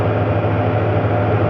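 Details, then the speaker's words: 1983 Ford E-150 van with 5.8L V8, probably over 200,000 miles, after new water pump and timing chain, warm at about 193°, running about six minutes: steady even low idle hum, no knocks, ticks or squeals; normal idle. "engine's been running about six minutes no no perceived problems"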